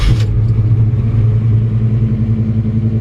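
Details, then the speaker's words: 1965 Chevrolet C10, small-block Chevy build (said 355 or 383 stroker), Holley carb just tuned, cold at about 38°F: steady deep rumble holding a fast idle that doesn't drop down as it would warm. "about once I don't drop on down like it's warmed up and just not quite there well maybe"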